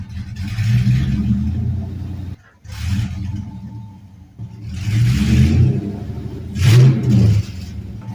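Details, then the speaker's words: LS-swapped 1948 Ford F1 rat rod with open headers and straight pipes: a loud V8 with a lumpy idle and revs that hesitate and surge, clearly running rough. Owner suspects the stock tune, set for mufflers and catalytic converters, and the lack of back pressure. "so it's obviously not running quite right um I think one of the main reasons is because it's still got the stock tuned for the muffler and catalytic converters full exhaust"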